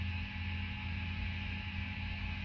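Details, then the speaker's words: 100W Mezzabarba Trinity guitar amp after fixing its grounding scheme, with volume turned up to about 3 o'clock: steady low mains hum with only faint hiss; quiet amplifier idle. "all right so it's quieting the amp down nicely the owner of this amp will be happy with that i am sure"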